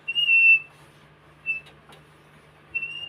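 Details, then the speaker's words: Pioneer Premier subwoofer being recoiled, the old coil having touched the centre pole: short, piercing high squeaks come and go over a quiet hum, from metal rubbing on the wood of the jig. "that's just basically the metal rubbing on the onto the wood that's making the noise"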